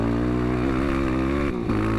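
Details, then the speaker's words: Yamaha ATV just back with a stock-ECU flash tune and fresh mods, while riding: the single thumps steadily, then stumbles and briefly drops out on low throttle and throttle blips, better when held open. Poor low-throttle running remains after the tune. "yeah it doesn't like throttle blips still definitely a little better on throttle response but if you're really on it and then you let go and chop it again it doesn't like that"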